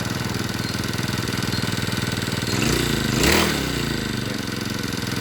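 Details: Two-stroke brush cutter that ran but would not spin its blade, after replacing the clutch drum, shaft and bearing: a crisp, even buzz that picks up cleanly in a short rev and settles back; the blade now turns normally.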